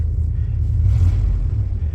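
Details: Pickup truck that threw itself into limp mode while driving: deep rumble that sags and falters unevenly, stumbling under load and not pulling cleanly; cause suspected, not confirmed.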